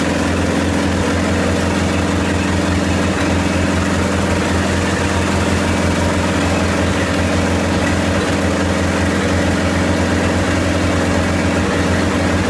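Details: 1928 Farmall Regular tractor idling after carburetor tweaks, just started with timing advanced about halfway: deep, even idle with steady low beat, no misfires or tapping, constant pace; healthy normal idle.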